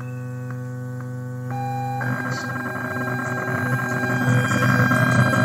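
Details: Bluetooth amplifier with the mic held close: a steady low mains-type hum that stays once the Bluetooth connects.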